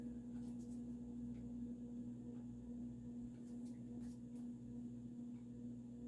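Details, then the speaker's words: Supreme Mark II 52" spinner ceiling fan, early 1980s, variable speed control turned down toward medium/low; steady low hum grows louder as speed drops, which the owner thinks suggests a solid-state control; loud motor hum at low speed. "I think it might be a solid state control, simply because the motor noise gets louder as you turn the speed down."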